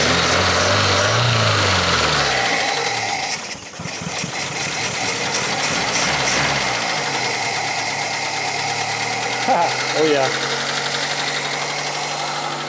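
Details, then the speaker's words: Opel Ascona petrol engine still running on old stale fuel: idles unevenly and hunts, then smooths and holds a steadier idle after blipping; owner suspects clogged carburettor jets, not confirmed. "still doesn't really want the idles"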